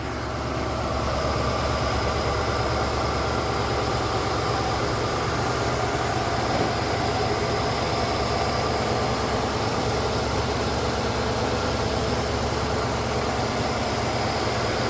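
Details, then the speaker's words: Ford LTD idling after aluminum radiator installed; steady, even, low rumble with no ticks, knocks or stumbles: normal idle. "yep she runs well"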